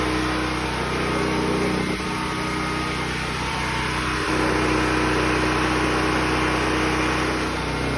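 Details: New Predator 6500 W portable generator switched from choke to run after starting, with house circuits still off: a steady, even engine drone with no knocks, surging or misses. It has stabilized and runs normally.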